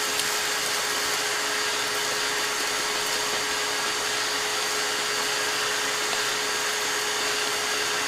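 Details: Shop vacuum during Cockshutt 90 carb and manifold removal: steady rushing motor roar with a strained constant whistle, the sound it makes when full and supposed to shut off.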